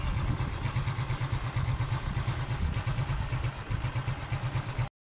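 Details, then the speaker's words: Suzuki Smash motorcycle, about 3 years old, restarted after cleaning and decarbonizing: steady, even low putter at idle, no misses or hunting; quiet, smooth and stable idle, fixing prior stalling and poor idle. "gwapo na stable na p kayo ang ihahang menor ' ba smooth na kayo siya karon"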